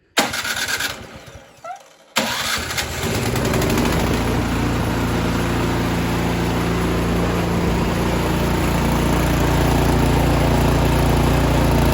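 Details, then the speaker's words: Last-year Troy-Bilt 2410 snow blower stored all winter, choked and primed, started on the electric starter at full speed: catches and runs steady but rough with unevenness toward the end; likely gunk in the carburetor. "all right you can hear that kind of running rough at the end all right sorry about that the air compressor kicked on um yes it was a little run a little rough there at the end and so that tells me odds are there's just a little bit of gunk inside the carburetor"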